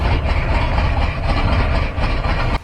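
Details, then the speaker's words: 1994 GMC Suburban after overheating and blowing its top, radiator refilled with creek water: restarts with heavy, uneven loping rumble as cylinders drop out, bad miss from lost compression, no knock. "It started back up but it was missing pretty terrible. There was no noise in the engine--like a knock or anything like that, but it did make a lot of noise. It had a bad miss in it."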